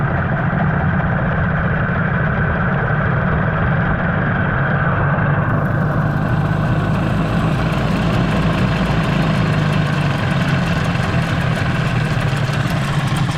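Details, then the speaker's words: 15 hp Mariner outboard that had not run for 2 years, after a carburetor clean, idling on choke: an uneven, lumpy beat and wavering low drone, definitely not running smoothly. Owner suspects a gearbox or housing issue; forward and reverse both work. "Now my biggest worry is the gearbox. There's something going on with the housing. Definitely doesn't run smooth."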